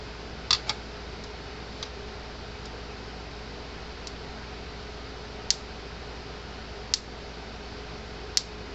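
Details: Gallagher M-series (M60/M100/M120/M160) fence charger on the bench reading 7.2 kV on a fault finder: sharp, crisp snaps about every 1.5 s over a low hum, a normal strong pulse. It may have been sent in only for a burned-out indicator bulb.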